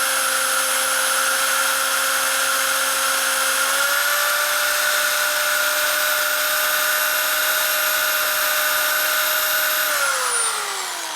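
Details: Drilling out a hardened, heat-treated set screw on a 1999 Harley 80ci Evo chopper: steady high whine stepping up slightly in speed, then spinning down smoothly; normal drilling.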